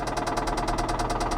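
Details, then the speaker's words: Flood-damaged Mercedes at auction, run on jump: fast, even knocking through a rough idle with sharp ticks; dipstick reads overfull, owner suspects too much oil or possibly a blown head gasket; engine knock, cause unconfirmed. "it runs it uh it says full something tells me that engine's a little too full on oil you know I mean that was I don't know what happened but it looks like somebody put a tad bit too much oil in it or possibly had a blown head gasket or something"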